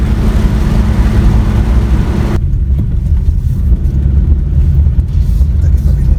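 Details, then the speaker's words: 2013 Chevrolet Aveo on a test drive through curves and braking after replacing noisy rear double wheel bearings: steady low road rumble with no growl, hum or squeal from the rear; bearings and brakes fine. "Mar a chonaic tú, bhí na coscáin go léir go breá"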